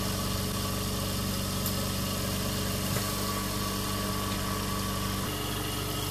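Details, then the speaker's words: Invacare Perfecto oxygen concentrator, flow turned up: constant droning hum with an even buzzing rattle as the fan on top vibrates violently; it is turned off, pretty warm. "five on top hair is vibrating pretty violently let's turn it off"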